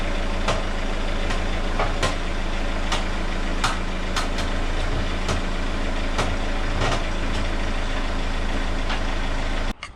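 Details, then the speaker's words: Renault Megane 2 1.5 dCi, steering turned: sharp irregular clicks and knocks about one or two a second over diesel idle; shock absorber top mounts suspected by ear. "tu entendu c'est merveilleux craquements ce sont les coupelles d'amortisseur"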